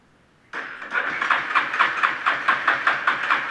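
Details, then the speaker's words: Yamaha Warrior 350 single, first start after sitting years, new aftermarket carburetor, gas bottle feed: catches and settles into a rough, pulsing run about two beats a second with a raspy exhaust; something on the pipe catching fire. Runs. "well it runs and actually runs but whatever this meant stick out on the pipe is catching on fire so homemade pipe wrap yeah she runs"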